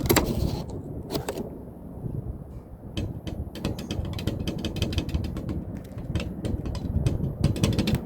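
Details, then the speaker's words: Aircraft left fabric-covered wing, drag/anti-drag strut: sharp irregular clicks each time the cross tube is pushed, over a low rumble. Loose rivets found in the strut. "it sounds like right here some rivets have come loose and i really really hate the idea of cutting the fabric on that wing"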